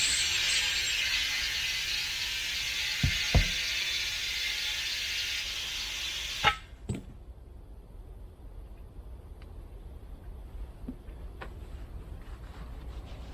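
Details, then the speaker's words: Tractor rear tire separated from the rim, being reinflated in the field: loud steady hiss for several seconds, then a few clunks; bead not sealing, air escaping between tire and rim. "that particular hissing sound that's not good that means the air is coming out between the tire in the rim"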